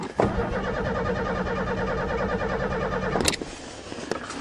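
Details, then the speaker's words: Vehicle on its first cold start after winter, on a fourth battery, gives a steady starter whirr for about three seconds and never fires; no fuel pump is heard, though the pump worked in November. The cause is suspected, not confirmed. "battery for we better get some results yes come on I don't hear the fuel pump"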